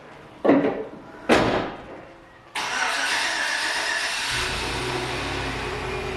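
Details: 5.3L V8 first start after replacing knock sensors, knock sensor wiring harness, spark plug wires and worn plugs: a couple of brief bursts, then catches sharply and settles into a steady, even idle.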